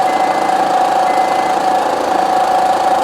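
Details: Idling engine with a constant whirring hum and rough knocking clatter underneath, suspected at first as valve or camshaft noise; inspection found a slack timing belt from a failed tensioner.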